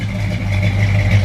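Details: 1972 Chevrolet El Camino, original 350 V8 with 4-barrel carburetor, HEI ignition, automatic: deep, even low rumble heard at the rear from the dual exhaust with chrome tips, no misses or ticks; normal idle.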